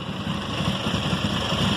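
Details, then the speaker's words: 2005 Honda CBR1000RR at idle after spark plug change: uneven stumbling idle with irregular dropped beats in the low exhaust note, still misfiring. Water was in the fuel tank; clogged injectors suspected, not confirmed. "once it uh you can hear where it's misfiring and stuff sounds terrible but we are going in the right direction you"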